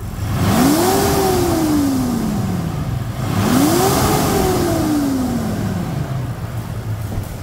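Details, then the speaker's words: Mitsubishi Pajero Dakar V6 flex, 2012-13, after post-purchase service and timing belt replacement: two clean revs, pitch climbing smoothly and falling back to a calm idle with no knocks or rattles; normal revving. "Um motor V6 turrando é lindo, né? Você viu que turrada perfeita? Que maciez de funcionamento."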